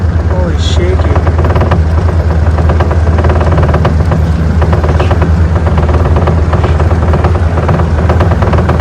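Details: Mercury 90 two-stroke outboard under way after cold no-start fix, carburetor air-fuel screws set richer at 2 turns out: strong steady low drone, even pace, no stumble or misfire; normal running.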